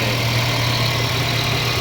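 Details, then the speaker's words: Mercedes-Benz CLA W117 petrol engine after water pump replacement and coolant refill: steady, even idle with smooth low hum, previous loud pump noise gone; normal idle. "นี่ครับเงียบกิ๊บเลยครับเสียงอีๆๆๆๆหายไปแล้วนะนี่ครับปั๊มน้ำตัวใหม่เนาะิดเครื่องแล้วครับ"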